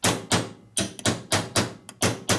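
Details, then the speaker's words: 1942 Harley WLC/WLA 45ci being rebuilt: the second-gear clearance plate bolts are tapped, giving sharp, crisp rings with no rattle. The bolts are tight and solid. "It's strong. See how hard it is? Yeah, pretty good."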